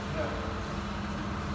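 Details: 2014 Mitsubishi Pajero Sport, 37,019 on the odometer, running after repair: the backed-out torque converter-to-flywheel bolt was replaced because its thread was damaged, and the other factory bolts were found not tightened; low even hum with no scraping or rubbing, smooth and quiet.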